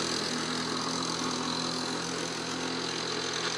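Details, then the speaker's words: 1977 Lawn-Boy two-stroke mower, a barn find, started after heavy priming, with new fuel line, wheels and a sharpened blade. It runs with an even, buzzy note at steady speed, no misses or surging. Normal running. "Ooh. Sure sounds like it wants to mow a lawn."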